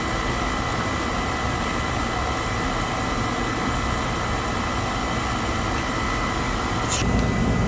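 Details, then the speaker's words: Weil McLain oil boiler with Beckett burner running after soot brushing and service: steady, even roar with constant faint hum, no pulsing, rumble or sputter; burner firing cleanly, flame clean, running really well. "Alright, unit's running really well right now."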